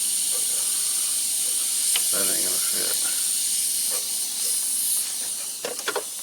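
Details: Volvo truck during PM service and inspection: constant sharp hiss with a few handling clicks, compressed air escaping at a fitting. Air leak suspected, not confirmed.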